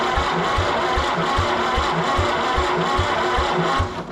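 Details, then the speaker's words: Recently auction-bought Massey Harris 30 tractor cranking with spark: lopsided compression beats with gaps; cylinders 2 and 3 do nothing because of stuck valves. "Not the best, but we got two cylinders here, 2 and 3, that aren't doing anything. So we're gonna have to see what valves are stuck and how we're gonna figure out getting them unstuck."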